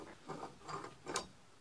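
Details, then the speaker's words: 2005 Ford Transit Connect front wheel bearing, removed hub turned by hand: gritty clicking rasps from pitted races, a nasty rumbling; had caused ABS fault and howling. Worn bearing replaced. "It's all pitted on the inside and it's making a nasty rumbling noise, so it needed replacing."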